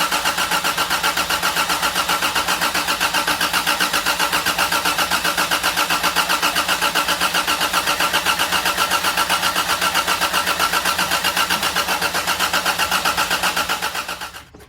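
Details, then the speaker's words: 1987 Toyota Tercel 4WD DLX with swapped 4A-C carbureted engine, first start: even starter chug about four strokes a second for fourteen seconds, no fire; distributor timing took correcting before it ran. "All right, well, took a little while to get the distributor timing correct, but she's running, not idling the smoothest right now."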